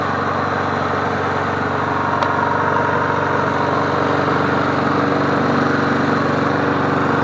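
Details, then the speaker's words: MTD Bolens push mower 11A-414A065, revived and cleaned, started after priming three times to warm up before an oil change: steady, even single-cylinder putter at constant speed, no knocks, misses or surging; sounds healthy. "Prime it 3 times for a good time. It sounds good. What do you guys think?"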